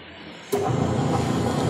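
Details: Westinghouse washing machine after repair, wash motor running: sudden start then steady, even churning hum without grinding or knocking; normal wash motor.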